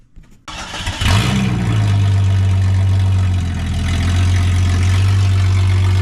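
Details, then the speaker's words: Jeep XJ after new RCV axles. Starts and settles into a low idle with a faint dull knock under the rumble. The knock has worsened; the owner suspects overheating or running without oil. Rod knock. "RCVs did good. Everything done good, but that little knocking issue we had, it's gotten worse and worse."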